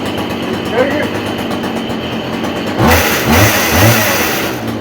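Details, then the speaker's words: Stihl KM56RC pole saw, two-stroke, after fixing drive shaft pushed down and not engaging at engine end: fires and revs in short crisp bursts; head spins, runs and drives fine. "So the other side up by the engine wasn't connecting. Now you fire it up and she spins."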